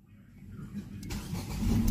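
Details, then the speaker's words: Ford Fiesta with crank-no-start complaint, after troubleshooting: brief cranking then the engine catches and builds steadily into an even run, clean first-try start. "Okay. Umaanda na po ang ating Ford po ko for the Fiesta. Crankbat won't start."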